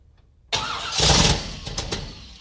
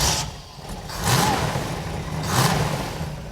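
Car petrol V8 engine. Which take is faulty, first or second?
first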